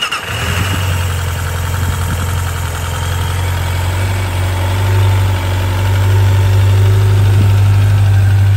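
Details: 1995 Suzuki GSX600F Katana four-cylinder with carburettors synchronised after valve adjustment, oil change, new spark plugs and correct carb vent pipe routing: catches quickly, settles into smooth even idle with steady low burble; normal idle.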